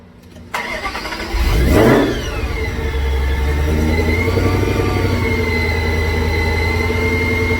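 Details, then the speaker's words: After the ticking fix with parts swapped around, the car cranks quickly, catches crisply with a short rev flare, then settles to a steady, even idle with no ticking, hesitation or misfire. Normal start and idle. "so the thinking is gone i don't know if y'all can hear me but the car is running perfect right now there's no hesitation no ticking other than you know the normal kicks that the type of car has"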